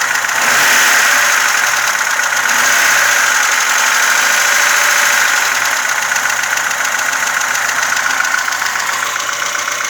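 Steady idle with a light, quick metallic ticking riding over the top; sounds like loose valve clearance tapping, though nothing confirms it.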